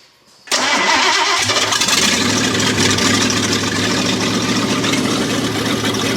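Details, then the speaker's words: Ford 302 V8 in a chopped Econoline, open headers, just after four-barrel carb swap; catches quickly into a steady even idle with crisp burble, no rattle or ticking. Normal idle. "Even idle. Wow. Wow. No more rattle either."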